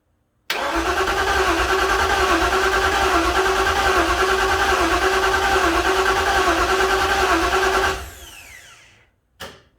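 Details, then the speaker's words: 1956 Ford F-100 engine cranked slowly to prime oil: steady even cranking with no ticking or knocking, nothing getting hot, oil pressure coming up; turns over easily, healthy. "No weird, no tinking noises or nothing, so it's turning over easy. That's good as well."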